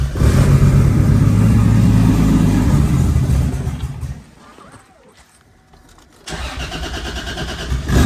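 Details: Nissan 350Z after crash repairs (control arms, steering rack, intercooler, belt refitted, battery installed), first start. The engine holds a strong, even rumble, is shut off for a couple of seconds, then fires straight back up and settles.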